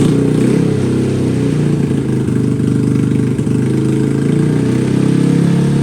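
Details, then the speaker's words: Honda Grom (SF frame fitted with an OG Grom engine after engine failure), cold start just after the swap: the small single holds a steady, fast idle that won't drop with the throttle closed; high idle from cold start, settles down. "idle's not going down not going down what did we screw up there he goes just cold start light there it goes"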